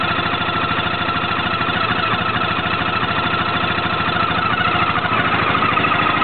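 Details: Peugeot Jetforce 125 scooter at steady idle with a rhythmic knocking tick, roughly three per second, over the engine note; abnormal engine noise, origin unclear.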